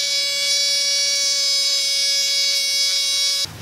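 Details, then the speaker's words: Subaru WRX boost leak test with the intake pressurized to about 18 psi and the throttle open: a loud, steady duck-call squawk of air escaping through the EVAP purge valve solenoid, then it cuts off. Leaking EVAP purge valve. "so now I know my problem all right so it's this guy my evap purge valve solenoid that is uh giving me problems"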